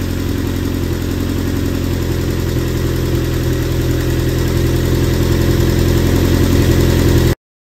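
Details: Lotus Elise engine idling after refitting the fuel pump in the steel tank, following a no-start: steady, even idle with a smooth low rumble, no misses or knocks; normal idle.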